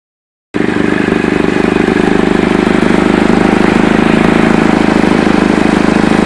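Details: Chevy Cobalt starting and settling into idle, with a fast, raspy puffing tick over the exhaust note; owner suspects an exhaust leak at the flex pipe, the manifold or both, not confirmed.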